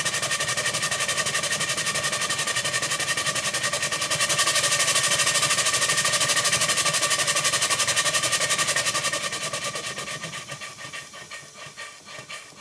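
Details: Worn 2-inch scale Fowler traction engine after repacking the piston rod gland, adjusting the small end bearing and shimming the crosshead slipper, run really fast: quick, even chuffing near four beats a second, then slowing smoothly; runs cleanly. Normal running.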